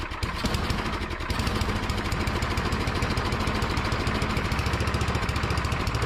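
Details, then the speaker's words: Craftsman MTD snowblower with Tecumseh engine, unused two years, after spraying brake cleaner into the carburetor bowl: runs rough and uneven at a fast putter, only with choke closed; carburetor still partly clogged, needs proper removal and cleaning. "all right so we got it running but it doesn't run right i have to have the choke closed in order for it to run so things aren't right"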